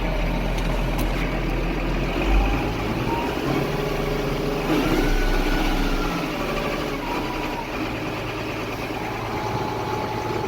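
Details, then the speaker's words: Case IH MX135 tractor after repair of a fault that engaged all four clutch packs at once: steady, even diesel idle with a regular low throb, no knocks or misses; running normally. "running good"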